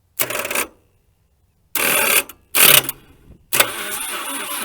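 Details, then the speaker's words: 1980 Dodge Colt Challenger (Mitsubishi Galant), four-cylinder automatic, sitting since 2001, cranked by jumpering the starter terminal without a key: brisk, even cranking in bursts with steady compression pulses, nothing seized. "that turned over that spinned over just fine and it sounded like it had compression"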